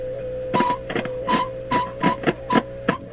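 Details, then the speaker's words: Philips Sonate BA581A vacuum tube radio, turning the tuning dial: irregular short squeaks about two a second over steady mains hum. "the pointer was riding on the back of the glass at the top here but even though it's got some kind of bumper bumper deal in there a little plastic cap it still was making a terrible squeak"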